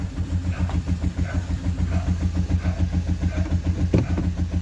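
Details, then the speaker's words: Hyundai HR 16-valve, 2014/2016: heavy rhythmic clatter about three and a half beats a second over a lumpy idle with sharp pops; valvetrain knock from broken rocker arms and tappets. "então como pode ver esse carro tá com barulho muito forte dando uns estouros no fio"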